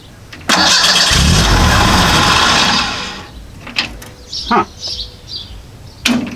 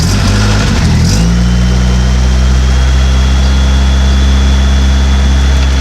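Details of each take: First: Model A hot rod coupe with a 2.3 L Ford 4-cylinder and Duraspark II ignition, just fitted with a new ignition box: the starter cranks and the engine fires once, then quits. Owner first thought it was flooded. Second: Model A hot rod coupe with Duraspark ignition, after replacing the blown 30 A coil fuse that caused a dead-ignition tow home: cranks briefly, fires, then holds a deep, steady idle with no stumble or miss; spark restored, coil still suspect.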